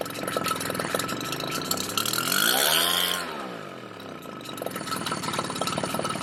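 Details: Redmax EBZ7500 two-stroke backpack leaf blower, cold start, on old carburetor after Sea Foam and cleaning: runs ragged, revs swell and sag in a hunting surge, then dies; suspected carburetor/fuel-mixture problem.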